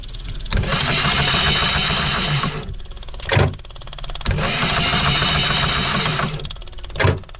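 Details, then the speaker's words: Phasor marine generator during fuel pump testing after priming: two long cranking bursts with a steady buzz and no firing. No fuel came out of the pump while turning over; cranks but won't start. "Okay, so this turning over, did not see any fuel coming out of that pump."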